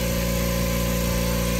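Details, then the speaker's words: New Kobalt air compressor started for the very first time with no air pressure in the tank; constant even motor drone with steady buzzy hum, no knocking or rattles; normal running. "We're gonna come over here, hit the button, hear the motor opening."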